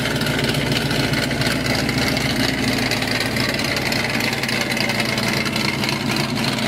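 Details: 1969 Dodge Dart 440 V8, TTI headers, electric exhaust cutouts opened, heard from a distance: loud deep steady lumpy burble at idle and revs, no misses or knocks; healthy engine.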